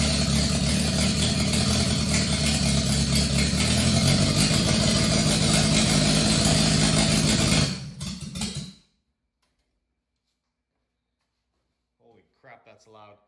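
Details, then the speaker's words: Subaru Sambar start, timing advanced slightly: loud, uneven, blubbery running for about eight seconds, then it dies; very rich, with raw fuel coming out the back of the carburetor, which is flooding. "uh yeah that's definitely just raw fuel so oh yeah I can see fuel coming out the back of the carburetor yep that's no good"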